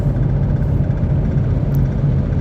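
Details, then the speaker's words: 2010 Ford Territory (FG, SY2) petrol Barra, after water in the rear two coils caused misfires above first gear when hot: highway drive with steady, even low engine rumble, no stumble or missed beats, running normally. "it was missing in everything above first gear so it hasn't been at idle and let's see what it does now it's happily back to its old self well that was a simple fix"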